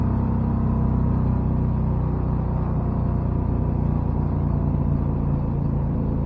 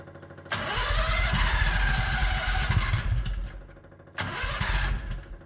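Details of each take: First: 1969 Renault R10 with a 670cc Predator two-cylinder V-twin and a CVT drive, four-speed manual left in third: steady, deep rumble that holds even under load with no knocks or misses, pulling smoothly and healthy, with the CVT colouring the sound. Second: 1969 Renault R10 with 670cc Predator V-twin, manually choked carburetor, electric start: cranks and catches, then slow lumpy uneven idle with dips; idle too low while engine is cold.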